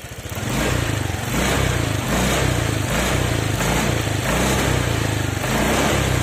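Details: Honda Vario 125/150 scooter, spark plug never changed: snapping the throttle gives a rev with short dips about once a second, stumbling pickup (mbrebet) traced to a worn spark plug cap, not the throttle body.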